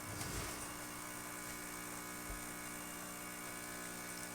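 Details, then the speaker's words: Quick Mill Andreja Premium E61 espresso machine after full service: deep cleaning, heavy descaling of the heat exchanger and steam boiler, and cleaning of the group head and E61 valve. The vibratory pump kicks on to brew a test shot with a steady, even buzz and no sputter, running normally. "You're going to hear the pump kick on in a second. And then we're going to quickly brew a shot."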